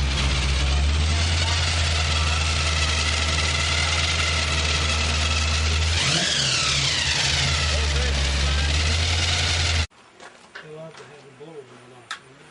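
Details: Chevrolet Malibu V8 on a test run after the carburetor was fixed: crisp, even idle with a clean rev settling smoothly, no misfire or stumble.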